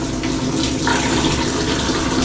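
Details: Washer in test mode after water inlet valve replacement for LF/F8/E1/LO/FL codes; oxy dispenser fill, smooth continuous flow with no hum, stutter or hammering on opening; valve filling cleanly.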